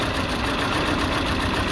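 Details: Peugeot 206 1.6 16V (TU5JP4) shaking abnormally at idle: uneven, lumpy beat under a steady hum; lambda sensor supply being checked before the old sensor is replaced.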